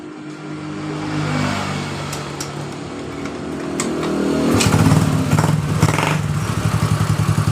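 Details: Yamaha Mio Soul GT fuel-injected scooter, three days after a shop repair, kick-started because the electric starter fails: fires and revs unevenly, then runs choppily; it intermittently dies over potholes or on smooth roads, cause not yet found.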